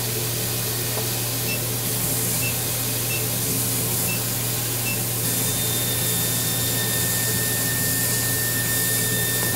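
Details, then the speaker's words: CO2 laser cutting plywood with tap water in the chiller, before it is swapped for distilled water: a thin, steady high squeal over the exhaust fan hiss. The squeal appears only while cutting material. "потом поменяю воду в чили на дистиллированную и он перестанет пищать на 2 при резке тех же самых макетах макетов на тех же материалах на той же фанере"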